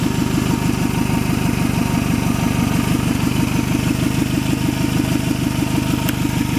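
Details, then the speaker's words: 1994 Toyota Camry LE four-cylinder, 316,000 miles, at idle: sharp rhythmic puffing tick about three per second riding on the exhaust note; exhaust leak from the flex pipe. "As you can hear, it has a leak from the flex pipe."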